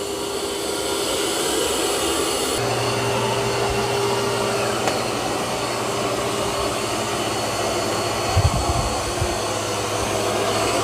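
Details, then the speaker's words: Eufy X10 Pro Omni robot vacuum-mop lifting mop pads on carpet; fan hum steps up to a deeper, stronger note and holds steady as it raises suction power on carpet; normal boost. "And it also increases the suction power when it's on carpet."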